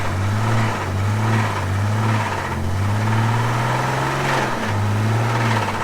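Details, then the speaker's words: Old Ford six-cylinder restarted after being killed by sand and water ingestion: rough, lumpy running, surging about every half second and sagging lower, knocking and trying to die; badly damaged engine stumbling toward a stall. "It's got a nice knock to it now. There we go. Oh yeah. It's trying to die. That sounds healthy."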